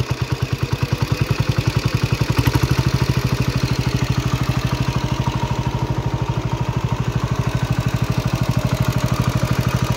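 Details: 1970 John Deere 110 hydraulic-lift patio tractor, single-cylinder, idling after restarting from an unexplained stall. An even, steady putter at low idle with no misses or surging: it idles normally.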